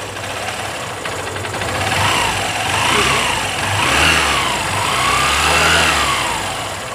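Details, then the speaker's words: Honda Shine BS3 motorcycle after cam chain tensioner fitted and pressure increased to cure timing chain rattle (chain recently replaced): engine revs up and down smoothly, no ticking at low or high speed; normal running. "তাহলে আপনারা শুনতে পারলেন, যে দেখলেন high স্পিডেও কিন্তু আওয়াজ নেই এবং স্লো টিউনিংয়েও আওয়াজ নেই।"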